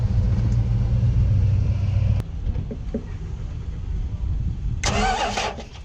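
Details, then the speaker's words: 1968 Dodge Monaco big V8 stranded on a road trip: after a new fuel pump, fuel filter and distributor condenser, it cranks and catches into a heavy, steady low rumble with a brief hiss, running again. "alright the condenser went in the distributor but it's good now yeah we just got it running again so"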